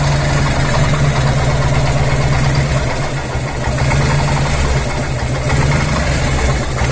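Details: Harley-Davidson Evolution 1340 V-twin idling heavy and lumpy with a deep, uneven bottom-end thudding; knock from a dying crankshaft.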